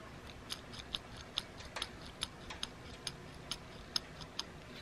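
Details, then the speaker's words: Original factory idler pulley, removed and spun by hand: dry uneven clicks a little over two a second with gritty rattle and much play; worn bearing confirmed as the noise source, replaced with new silent pulleys. "o that's the noise guys hundred percent I know that's the noise that's the noise that it was making that's bearing"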